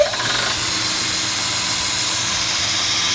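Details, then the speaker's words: 45-year-old Burr King 2x72 belt grinder, modified with added pillow block bearing, 4.5-inch pulley and linked motor belt replacing rubber belt, owner imagines louder than stock: short start-up surge then steady airy hiss, no knocks or grinding; normal running, belt tracks stably. "And I don't know how loud it's supposed to be normally if you had a new one, but given that this is not the original configuration, I imagine it's louder than a stock one is."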